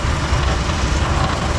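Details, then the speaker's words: Ford F100 V8 with carburetor, idling after a shakedown drive: light, uneven tap-tap rattle as the exhaust knocks against a nearby underbody part with too little clearance. "let's see if we can hear that rattle yep I can definitely hear it let's see if we can see what's happening in here oh yep sure enough tap tap right"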